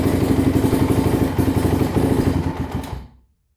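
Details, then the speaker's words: 2006 Polaris Outlaw 525 quad, bought as needing only a carb clean: it idles on choke and stalls in first gear, and here dies within a second of the choke being turned off after a steady thumping idle. Owner suspects a carburetor or jetting issue. "it just shuts off right when you turn the choke off all right so it might be a carburetor problem or a jet or a jetting issue"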